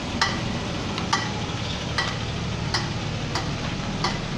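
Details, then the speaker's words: BMW E39, cold, reversing slowly: sharp ticks about every 0.7 seconds over a steady rumble from the rear. Suspected rear differential, drum handbrake (barely working) or driveshaft rubber coupling, not confirmed. Finding: rear clicking when reversing. "它主要是倒退才有怪聲"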